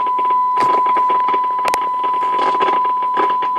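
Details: Telsat SSB 140 CB radio probed at each IF transformer can with a vintage tube signal tracer: steady crackling static with a constant tone, present before the AM/sideband split, pointing back to failed front-end diodes.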